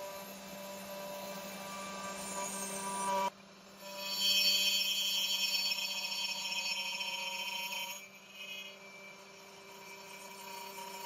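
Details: Genmitsu 3030 PROVer Max desktop CNC, stock air-cooled 300W spindle cutting aluminium in mini vise with progressive step-down: steady high whine then loud harsh buzzing rasp; spindle chatter and vibration, underpowered spindle reaching its limit, cut not smooth.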